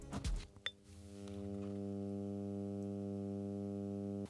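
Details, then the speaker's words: Arcam AVR-280 receiver on radio input with no aerial connected, microphone close to the speaker: steady low fixed-pitch buzzing hum with no signal; hum does not follow the volume until muted at 0 dB; cause not yet known. "i can hear a hum out of the speaker i'll put a microphone close to the speaker"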